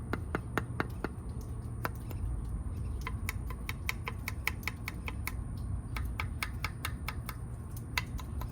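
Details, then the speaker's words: Store-bought air-dry clay bowl, after a primitive no-kiln fire, cracked along the bowl: tapping gives sharp bright clicks and short rings over low room rumble; a hard fired ceramic ring, no longer clay. "So it did crack along the bowl itself and kind of whitened it out. There you go, right there. But it did fire for the most part. You can hear it."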